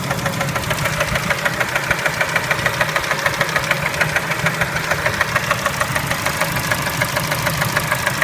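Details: Kia Spectra engine at idle: sharp, regular ticking knock about three per second over the idle; internal engine knock, cause suspected but not confirmed.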